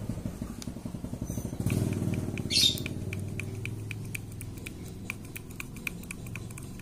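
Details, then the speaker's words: Honda Supra motorcycle engine running: uneven clunking taps, about two per second, from a clutch drum with new rivets that has up-and-down play; the knock comes from the loose clutch drum. "Hai kalau spasi ke kiri sama ke kanan ini enggak ada yang ada spasinya diputar kearah atas sama bawah ini ada spasi"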